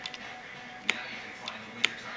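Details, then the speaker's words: Deore trigger shifters on a Kona Dawg, front and rear both affected, cable tension seemingly fine: crisp ratchet clicks half a second apart, sometimes failing to grab the cable; intermittent misshift. "grabbing not grabbing yeah the shift there it's grabbing the cable there it doesn't grab the cable"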